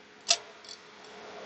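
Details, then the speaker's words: XFX RX 580 GPU with a replacement cooling fan: faint sharp ticks, one per slow hand spin, as the blade is believed to strike a protruding screw head, possibly worsened by pressing down while spinning; a different screw may be needed. "So as you guys can see right here, that spins, it's not hitting anything. Sounds like it is. I just don't know if it is or not. I do believe it is striking that screw head. That might be because I'm pressing down on it when I'm spinning it."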